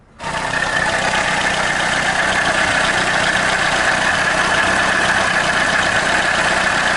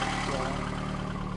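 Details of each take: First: VAZ 2110–2112/Priora engine idling with a steady high-pitched hum from the water pump bearing; bearings repeatedly humming after earlier alternator and tensioner bearing replacements. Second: VAZ 2110-2112 family petrol engine on first start after reassembly, idling with a steady, even low hum and no rustling or whining from the pump.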